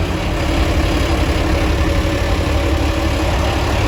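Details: Old International diesel tractor idling on a 32° day, rockers last set at head gasket and injector cup job: steady low idle with light fast clatter on top; owner suspects rattly valve train needs adjusting, unsure if normal.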